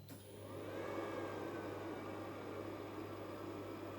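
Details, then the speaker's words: Refrigerator powered by a 24 V to 220 V 500 W pure-sine inverter, which first failed to start it, then on retry: compressor kicks on and settles into a steady low hum with even whir, no clicking or stalling; running normally. "А ні він запустився а чуєте Він працює і Холодильник працює"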